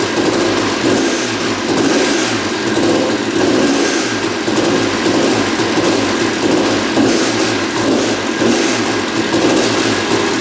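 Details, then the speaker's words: 1989 Honda CR250 two-stroke that had been sitting, first start after carb cleaning: steady fast idle with a dry metallic rattle from low in the engine; engine seen moving in frame, loose engine mounts suspected, not confirmed. "woohoo she fired up I can definitely hear what he's talking about there's definitely a rattle down there we'll have to investigate that"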